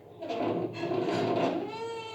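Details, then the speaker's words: Baxi gas boiler squeal: a wavering, moaning whistle settling to a steady mid tone. Cause is the three-way valve's loosened, worn rubber seal, pushed by an extra pump when the boiler switches to hot water mode. "вот этот звук этот звук создавал 3-ходовой клапан"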